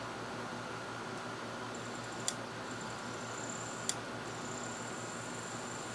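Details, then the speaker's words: Thrift-store Sylvania DVD/VHS combo, DVD side: two sharp, isolated clicks about 1.5 s apart over a faint fan hum, heard as the lens clicking; cause not confirmed. "you can hear the lens clicking well"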